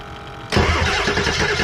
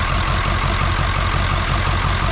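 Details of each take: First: Ford 7.3 diesel parts truck that got no fuel at first, cranked with the fuel pump jumpered and a replacement radiator fitted: starter catches and it fires within half a second into a heavy, lumpy clatter; too brief to judge idle. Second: Ford 7.3 diesel parts truck with a leaking injector, glow plugs tested: loud clatter at idle with an uneven, lumpy beat about three pulses a second, rough idle with white smoke; cause not yet found.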